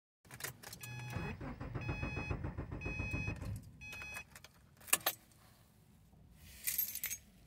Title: VID 20240509 081548496 CRANK, NO START